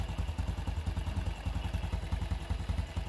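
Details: 2019 Honda Wave 110 single-cylinder after carb, top and side overhaul (gaskets, bearing, broken parts replaced, reversed clutch-side assembly corrected): steady even low idle thump, no clutch-side rattle; engine healthy.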